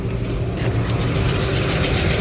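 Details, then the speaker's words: Kitchen AC unit, indoor blower assembly: loud, even rushing roar with a low steady drone and no knocking; blower very loud, belt possibly needs tightening (suspected, not confirmed). "One thing I will say, man, this indoor blower assembly is really loud."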